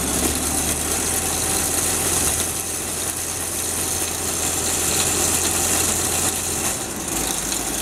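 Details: Isuzu-powered core drill rig diesel on a cold morning: starts very easily and settles into a steady, even low-drone idle with no knocks or misses; normal cold start and idle.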